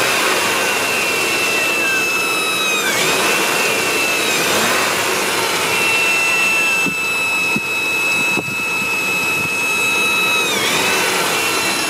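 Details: 1997 5.7 Vortec V8 running warm: loud, steady high-pitched whine from the top middle of the engine, briefly dipping in pitch twice; it doesn't start until the engine warms up a bit.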